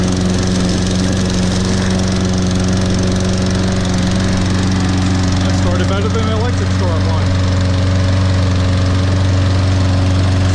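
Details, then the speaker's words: Toro Recycler lawn mower model 20332, rope-start auto-choke, first cold start after about 3 months unused in January: starts and runs a steady, even single-cylinder putter at idle with no misses or knocks. "Oh, I heard it. There we go. That sounds good. That's a beast."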